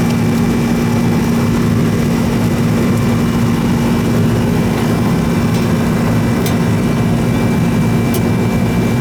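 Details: Old R-22 Goodman AC that was running but not cooling, after service: steady loud hum with a strong low drone and fixed tone. The growly compressor runs noisily but keeps going.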